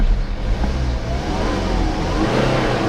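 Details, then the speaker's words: Healthy four-cylinder diesel on a BMW E90 320d LCI at 167,000 km: a deep, gruff diesel note rising smoothly with revs, no knocks or rattles. Normal diesel engine sound, not as quiet as petrol. "ครับเครื่องยนต์ดีเซลปกติเลยมันจะมีเสียงแบบนี้อยู่แล้วนะครับไม่เงียบเหมือนเบนซินนะครับ"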